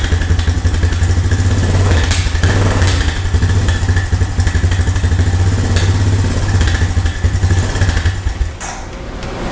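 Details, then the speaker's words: Old Honda three-wheeler/ATV after sitting. Single cylinder fires and settles into steady even low thump near four beats a second; normal idle, owner thinks idle sits a little too low. "good that's promising thank you I think my idol maybe sit a little too low"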